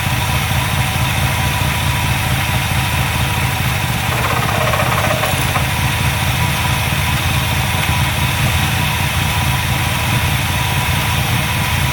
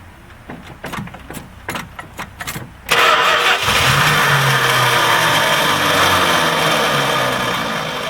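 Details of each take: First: Carbureted V8 with Edelbrock carb, primaries cleaned of ethanol-fuel clogging, vacuum gauge on manifold vacuum: holds a fairly steady loping idle with deep even burble, no stalling; low on gas but improving, previously wouldn't idle. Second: Edelbrock-carbureted engine that sat a long time on E10 ethanol fuel: choppy cranking about 2.5 beats per second, then a lumpy, uneven idle. The primary circuit is clogged, with ethanol deposits in the air bleeds suspected, before cleaning.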